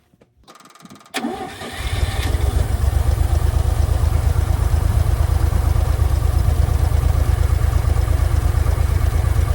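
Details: Old forklift that sat for years, started after cleaning the carburetor, battery charger still attached; cranks briefly, catches, then settles into a steady, even low idle with a regular beat and no misses or knocks, running healthy.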